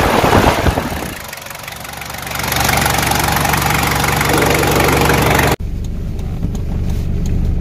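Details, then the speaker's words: Toyota 1KZ turbo diesel with bigger turbo, viscous fan hub refilled with correct silicone oil to fix overheating: loud, steady roar of fan air over the idle plus loud induction noise; fan clutch now locking up properly at idle. "hear that now you can distinctly hear that fan noise it's got a pretty loud abduction on this thing since a bigger turbo has been put on"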